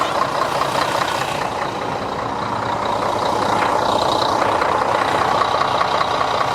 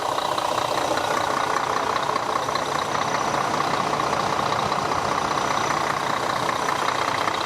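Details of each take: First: Diesel bus engine started just after an oil change with the oil filter and seals refitted: steady running under a loud, level airy hiss; the small filter cover was found sitting slightly crooked, with air suspected escaping there. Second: Diesel bus idling after an oil change and reseating a crooked filter cover that had hissed: steady idle with even, regular clatter, no speed hunting, nothing abnormal on top; running fine.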